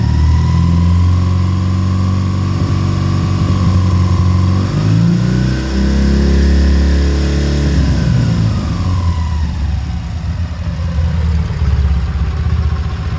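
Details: K-750 boxer-twin motorcycle during carburetor synchronization: twin thumps at idle, revs rise and fall smoothly then settle back; no clear fault heard.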